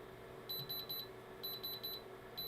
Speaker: you hear it it goes all it's beeping which turns around tells me that this is a real diamond